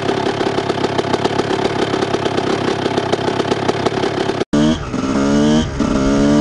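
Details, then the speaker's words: Restored 1998 Honda CR125 two-stroke motocross bike with FMF exhaust: steady ringing idle, a short cut, then quick clean revs rising and falling; normal running. "Et puis bon, je me doute que vous voulez écouter le bruit que ça fait en fait, avec le petit FMF là au derche là, hein?"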